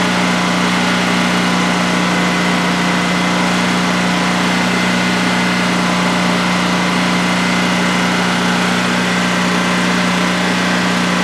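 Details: New DuroMax XP15000HX generator in a shed, running on propane for its second start-up with the exhaust fan off: a steady, even hum at smooth constant pitch with no knocks or surging over a 5-minute test. Normal healthy idle.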